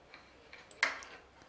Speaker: i've loosened this one off considerably and you can hear that it rattles when bone snow and that same noise may well appear if you're riding on rough roads or bumpy surfaces